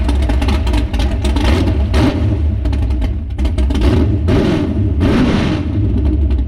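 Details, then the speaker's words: S10 truck on a lift, first start on race gas with only the timing set and floats too low, carburetor not yet tuned: big lumpy rumble with uneven idle and repeated throttle blips that clatter and stumble; rough running on first start. "so all right so that is it running with only the timing set uh floats are down a little too low uh it smells good i love the smell of race gas well the exhaust um sounds pretty good so far it'll get better"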